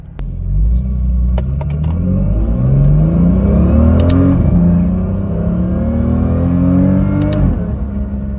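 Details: BMW M2 with DCT, after installing cheap polyurethane transmission mounts (Rogue-type part), driving: revs and coasts with gear whine rising and falling with speed over the exhaust, gear/flywheel clatter, heavy vibration; stiff mounts pass drivetrain whine into cabin.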